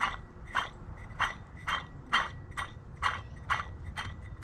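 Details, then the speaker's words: Husqvarna mower deck spindle with sealed, non-greaseable bearings, turned by hand: gritty, rough, uneven rasping about twice a second. Worn-out spindle bearing. "man that's bad i mean wore out"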